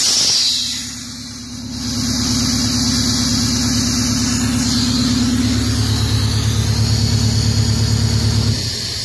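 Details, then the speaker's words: 1963 GM PD4106 bus at low diesel idle: steady high hiss of escaping air from a dash lever valve, system won't hold pressure; air leak. "so slip this thing air up and I'll show you what that leak is there's built-in air pressure"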